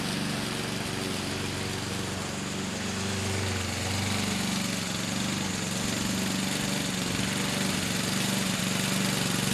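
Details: 2014 Husqvarna HU700F self-propelled push mower, Honda GCV160 engine, after a carb clean: steady, even single-cylinder drone at constant speed, no surging or misses; runs smoothly and healthily.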